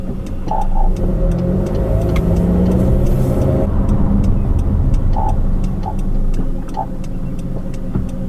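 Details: New 2013 Honda CR-V AWD, about 4,000 miles, 4 months old; microphone in rear near differential; short creaky croaks in isolated bursts over low rumble when pulling away at crawling speed; owner suspects rear differential, cause unconfirmed, countermeasure pump failed to cure it.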